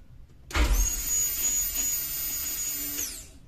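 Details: Fuel pump heard after push-button start, though it stayed silent at ignition-on with no 12 volts or test-light signal at its connector: thin, steady high whine holds about two and a half seconds, then winds down; pump itself runs normally.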